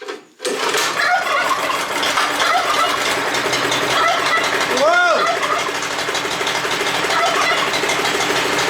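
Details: Neglected Honda F810 rotavator bought as non-runner, after ultrasonic carburetor cleaning and idle jet removal, starting on first pull and settling into a steady busy patter; normal running.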